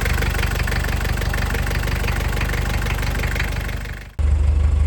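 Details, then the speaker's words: TD27 diesel after a Bosch VE injection pump leak repair, started on glow plugs on a cold day and firing on the first try: even, steady diesel clatter at idle with a brief cut, then runs clean. No leaks; sounds healthy. "Let me just start it up. It's actually pretty cold today. Glow plugs. One time it starts, just like that, and she"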